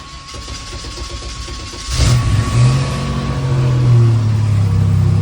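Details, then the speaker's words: Car started after sitting a long time, kept on a battery tender, usually won't start first try: brief starter whir, catches at once, flares and settles into a smooth even idle; normal cold start. "Oh yeah. Thing's still sounding good."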